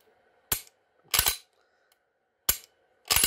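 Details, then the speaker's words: Modified Glock pistol with aftermarket trigger, after adjustments fixing failure to reset (slide lug pushing connector over). Sharp metallic clicks, a snap then quick double clack each cycle as the slide is racked: trigger now resets every time, normal reset. "live trigger okay every time it doesn't matter if we trap don't trap okay"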